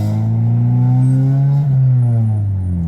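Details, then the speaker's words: 1993–1997 Honda Del Sol with new eBay aftermarket muffler, driving: loud deep booming drone holding near 3000 rpm, pitch easing as it settles, so loud the radio is inaudible with windows down; muffler far too loud, later replaced. "the muffler should not be this loud the muffler should not be this loud you guys if I think a minister was booed almost wants do they sound like that but no like I can't even hear the radio when I'm driving with the windows down"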